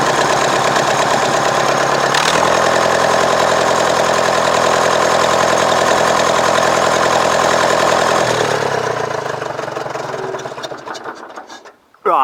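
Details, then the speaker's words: Nuffield diesel tractor after an injector fault was fixed: catches, settles into an even idle, rises smoothly with a little throttle and shuts down cleanly; it runs perfectly and shows no water leaks. "Right, that was just to let you hear it run. And as you can hear, a few revs on and it's perfect."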